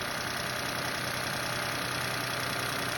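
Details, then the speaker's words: Move Custom engine after replacing a noisy water pump bearing, plus new alternator and compressor belt: steady even idle, no bearing whir or growl from pulleys; repair successful. "ó sem barulho de rolamento mais aí ó serviço concluído com sucesso"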